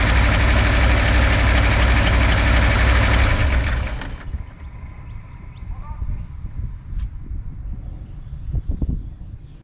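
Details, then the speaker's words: V8 with a backfiring problem, run after a compression test with all plugs, wires and distributor ignition reconnected: deep engine runs about four seconds with an uneven, lumpy beat before dropping away; backfiring issue persists. "We know the engine, we ran the engine. The issue's still there, not surprising."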